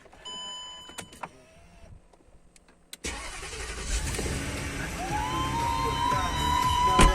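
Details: Range Rover 4.4 petrol after a no-start with no fuel pressure, fuel pump replaced: a few clicks and a pause, then the engine catches cleanly and settles into a steady run with a faint rising whine; starts normally.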